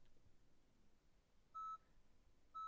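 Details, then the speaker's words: 2018–2022 Honda Odyssey cabin, stop/start button pressed with dead key fob battery: two short high beeps about a second apart and blinking; key fob not detected, so touch fob to start button. "and you hear it beeping and start blinking then we're going to take our key fob and touch it to the stop start button"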